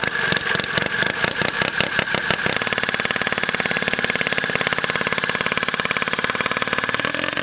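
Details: Turbocharged carbureted rotary ATV engine that stopped making boost: steady whine over a fast, rough engine pulse; turbo showed end play and slop, suspected done for, not confirmed.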